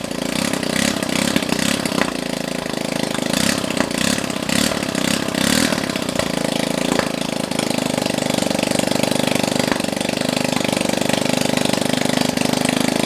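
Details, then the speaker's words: Honda Ruckus-type scooter engine first start with no exhaust fitted: loud rapid popping crackle from the open exhaust port, about two or three pops a second, settling to a steady idle; normal running without exhaust. "now keep in mind that there's no exhaust on this and it's gonna probably sound like popcorn or something popping yep really it just sounds like buttons it'll sound like bubbles popping"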